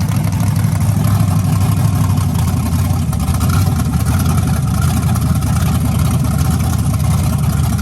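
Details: 1992 Chevrolet S10 with LS V8 swap, first start, temporary exhaust, oil pressure sensor suspected faulty: smooth, deep idle holding steady, no knocking or tapping from the bottom end; healthy engine.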